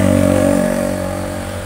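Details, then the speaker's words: Honda Astrea Grand motorcycle engine after head work: light, even rhythmic click-click ticking from the valve gear as revs settle; a rhythmic click points to valve clearance (tappet) adjustment, not the conrod or cam chain. "kalau bunyinya berirama klik klik klik klik klik klik klik klik klik itukan ya setelan klep lah"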